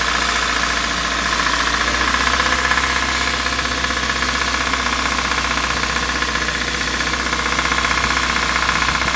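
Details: Kia Rio 1.6 Gamma engine at steady idle: fast, light metallic ticking about four per second over the engine hum, a metallic knock from inside the engine.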